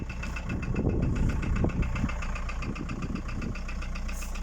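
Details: VW Passat B4 1.9 TD (AAZ) diesel at idle: hollow knocking, roughly three knocks a second over the diesel rumble; worn pistons slapping.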